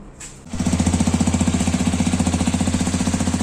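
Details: New Hero Xpulse 210 from the January 2026 batch at pre-delivery inspection: the engine settles into a hard, pounding knock near four beats a second over the idle. Unusual engine knock alongside an oil leak at an engine joint, source unknown.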